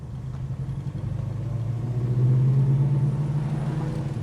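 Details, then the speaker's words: Restored 1969 Dodge Charger R/T, 440 four-barrel V8 with a 4-speed manual and 27 miles since restoration, on a cold start; a deep, even burble with a gentle lope at a slightly high idle. Normal idle. "crank it over purs right to life little high idle which is great"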